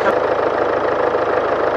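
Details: 2016 Land Rover Discovery Sport, 2.0 Ingenium diesel, 101,400 km, brought in for ticking and an engine warning light. It now has an even, steady idle with no ticking after oil was added to the low engine; oil consumption is suspected.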